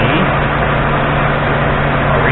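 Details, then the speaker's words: 2003 Lincoln Town Car, 51K miles, at operating temperature: smooth, even V8 idle with a steady tone and no misses, checked with a vacuum gauge at the throttle body/intake manifold port, 21 in-Hg at 466 ft altitude; normal warm idle. "let's crank it over and see what kind of results we get well of course we lost it for a second but having a look-see"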